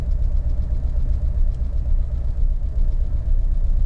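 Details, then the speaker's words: Abandoned, stripped 1989 Bentley Turbo R V8 after 10 minutes running, idle dropped: deep, lumpy beat with uneven pulses showing a definite misfire; owner suspects a fouled rear spark plug never removed. "It's been running now for 10 minutes. There's a definite misfire."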